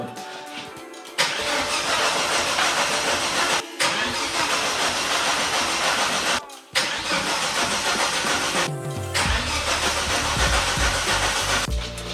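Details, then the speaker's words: Volvo S60 T5 front half cut from the car, wiring loom removed and refitted: repeated bursts of steady starter whirring, about three a second, with no catch; cranks but won't start. Suggested cause: climate/heating controls left out, leaving the CAN bus incomplete. "And apparently I forgot to insert the climate control, the heating controls. I'm not sure. Apparently they are part of the CAN bus system. And if the CAN bus system is not complete, it won't start, it will jus"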